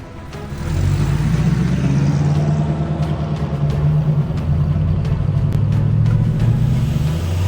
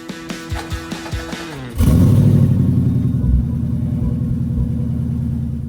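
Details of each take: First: C5 Corvette V8 on a road test after a $100 repair including new spark plugs: pulls cleanly through the revs, pitch rising steadily with no stumble or shake; smooth, responsive, normal acceleration. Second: C5 Corvette V8 during a short drive before spark plug replacement: uneven stumbling pulse that never smooths out and the motor shaking badly, possibly a misfire; also a possible exhaust leak tick toward the rear.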